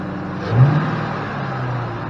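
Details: 2005 Ford Mustang GT that would not start, running after codes were cleared (including P061B): the engine catches with a brief rise in revs, then settles into a steady, even low idle hum with no knocks or misses.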